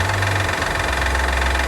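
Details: 2012 Honda Odyssey 3.5L V6 at idle: fast, light metallic rattle over engine hum, sounding like valves or rods, heard from the top of the engine; found to be a defective timing belt tensioner, belt to be replaced.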